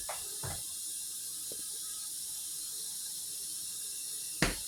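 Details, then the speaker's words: Dishwasher after repair (door screw reset) at cycle start: soft steady hiss of incoming water with a few light clicks; normal fill. "She's still loading water. you can hear her. Hopefully you can hear it. All right, she's running."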